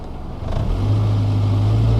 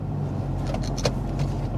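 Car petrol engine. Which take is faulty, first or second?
first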